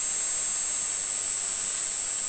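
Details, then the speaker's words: Duratool ZD-915 desoldering station cooling fan at the first power-up after the speed-control redesign, with the case still open. Soft, steady airy hiss with a thin high whistle and no rattle or rub; much quieter than before and running normally. "and would you believe it it is a lot quieter and mind you that the case is still not closed"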